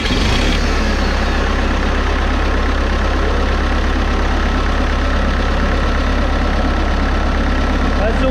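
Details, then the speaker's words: Wheeled Bobcat skid steer loader diesel with an intermittent starter-engagement fault, new starter about to be fitted: steady, even low diesel chug at idle with no misses or knocks. The machine runs great once started. "okay well Machine runs great but as I said earlier you have to start it before it will run"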